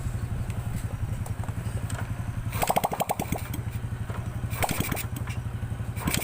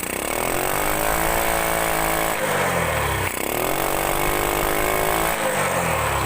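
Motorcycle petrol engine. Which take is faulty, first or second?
second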